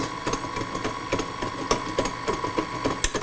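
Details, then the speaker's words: New KitchenAid 5-quart tilt-head stand mixer, running empty with glass bowl: motor whine with loose irregular knocking a little over once a second as the paddle bangs the bowl because the beater shaft spring is missing. "when there's no spring on there there's a lot of banging around on there yeah it's hitting the bowl and there's no ingredients in there but listen to how floppy that sounds"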